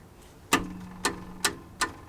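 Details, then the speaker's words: Acura RSX catalytic converter heat shield moved by hand, engine off: sharp tinny metallic clacks about two a second; rusted heat shield loose at back and bottom, to be clamped down. "some noise, as you could hear, and it's coming from up here. Oh yeah, big time. Look at that. Hear that? So we're gonna try to get a clamp and just clamp this down."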